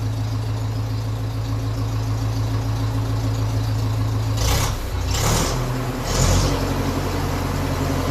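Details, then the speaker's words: 1957 Ferguson 35 TVO tractor idling after the exhaust sleeve leak was fixed: an even, steady low thump with a few brief hissy bursts midway. It sounds nice, like a TVO; JB Weld reinforcement is still planned. "why be happy enough with that now definitely sounds nice you heard that coming that kind of a nice com up the road"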